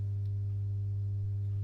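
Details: Masco M25N valve amp, poorly re-capped, run on 200 W current-limiter bulb, HT B+ only 134 V: constant low pure hum with even overtones, no variation; mains hum from insufficient filter capacitance.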